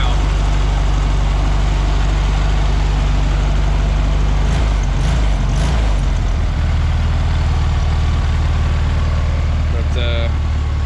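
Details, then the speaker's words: 1973 VW Beetle, air-cooled 1600 dual-port flat-four, revived after sitting a couple of years, idling after a brief warm-up before oil change and valve adjustment; light, quick, even ticking like a sewing machine, no knocks or misses; normal idle. "went on fired it up let it warm up a little bit sounds like a little sewing machine now"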